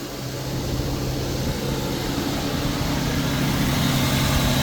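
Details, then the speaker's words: Infiniti G37 after galley gasket replacement, cold start: smooth steady idle held slightly high because it's cold, even firing, no tapping or misses; running fine, not leaking. "It's running fine. Holy shit, look at that. Cause it's cold, that's why."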